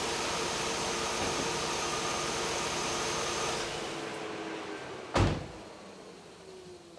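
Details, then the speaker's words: Electric radiator cooling fans after fitting two new fan motors, forced on by the AC and running on low speed: a smooth, even rush of air with no rattle or grind. Normal operation. "Oh yeah, that sounds a hell of a lot better."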